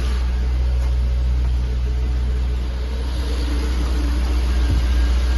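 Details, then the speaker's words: Jaguar XK8 V8 stood since 2015, idling on old original petrol in closed garage, new oil and fuel pump: steady, even low burble with no knock, tick or stumble; idling very smooth and healthy. "but it sounds great there's no knocking there's no ticking it's I don't know if you can see that but that is idling smooth very smooth there we are"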